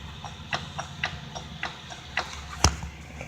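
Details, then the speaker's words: Vehicle suspension rattle check: rocking the half shaft by hand gives irregular light ticks, about two per second, from free play; mechanic unsure how much play is normal, inner tie rod found secure, cause unconfirmed. "I did notice this, and there is supposed to normally be a little bit of play in there, but if you watch, let me get with my other hand. I don't know how much is normal, but you have this."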